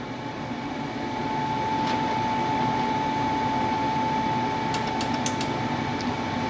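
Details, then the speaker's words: 90%+ efficiency gas furnace during ignition trial; the inducer fan hums while the control board relay clicks, the gas valve makes no click because a switch shuts it off, the hot surface igniter shuts off with no flame, and it then purges. "okay there was your clicking you won't hear the gas valve click because that switch just shuts it off okay obviously there's no flame so the hot surface igniter shut off"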